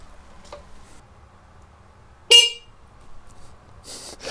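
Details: Yamaha TZR 250 3XV two-stroke motorcycle during rebuild, testing the electrics with battery and key on: single short bright honk, clean and strong; horn circuit working.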